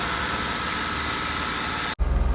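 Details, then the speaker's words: Mahindra Bolero BS6 diesel with DEF/urea fault, during scan-tool-commanded DPF regeneration: raised steady fast idle above 2,000 rpm with even hiss and no throttle input; normal while the filter regenerates, which completed successfully. "तो री generation अभी भी continue है देख सकते हैं RPM दो से ऊपर है एक्सलेटर पेंडल प देखिए खुद बुद यह आरपीएम हाई है टेस्ट रनिंग में है"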